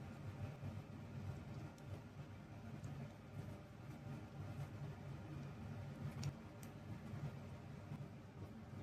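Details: Greenworks 1704 electric pressure washer that had stopped working, running through its GFCI after many clicks: steady low motor hum, no popping or cutting out; running normally for now, though the fault later returns.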